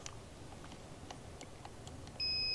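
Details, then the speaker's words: Aquahot 400D RV boiler relay, contacts being cleaned with a small file: faint probe clicks, then a steady high multimeter beep showing continuity across the relay contacts, though only with heavy force on the contacts. "Now multimeter when it has continuity you'll hear that sound."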